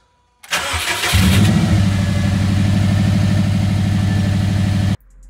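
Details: Factory Five 818 after a fuel pump wiring repair with crimp-style connectors: a brief crank, then the engine catches quickly into a steady, even idle.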